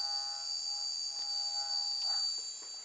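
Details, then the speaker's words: Electric motor on a programmable ESC at full throttle with no load: a clean, steady high-pitched whine holds without wavering; the motor spins up smoothly and healthily with good torque. "yep so motor goes and with no load on it we can go Full"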